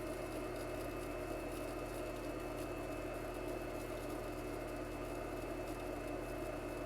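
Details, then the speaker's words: Newly installed cheaper replacement pool pump recorded right beside it, replacing an old pump with a high-pitched whine. Steady, even motor hum with a smooth low drone and no whine: normal running. "Now this sounds a little bit more like a pool pump should."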